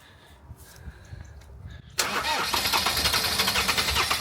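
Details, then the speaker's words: Land Rover Defender 2.4 Puma diesel, first start after injector, oil, air and fuel filter service and fuel bleeding: quiet two seconds, then fires at once and settles into an even, steady idle. It previously showed excess crankcase pressure chuffing at the oil filler. "quick on me accelerate if it does go hey hey hey that sounds lovely as [Applause] well"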